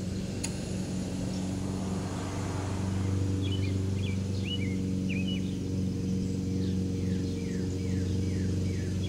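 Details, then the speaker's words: Baldor 1/3 HP single-phase induction motor, 1725 rpm, 115/230 V, 48Z frame: steady hum fading smoothly as it coasts down, no grinding or rumble; bearings sound good. "pretty nice motor i think good bearings too"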